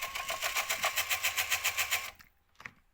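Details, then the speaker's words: Jaguar XJ8 X308 CD changer on eject or load makes a rapid, even whirring chatter about four per second for two seconds, but nothing moves. A shaved gear is not meshing with the next gear, so the loading arm isn't driven. "problem with this was make too much noise when you're trying to load or get the cd out whatever just keeps making noise"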